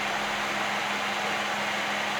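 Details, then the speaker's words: BT Fan CT4B25 cooler for an indoor-grow LED panel, flipped over and running for a noise-floor test: a loud, even rush of air over a steady low hum from a fast-spinning small fan; very quiet and normal. "Vamos a darle vuelta. Ahí vamos. Se siente, es muy silencioso."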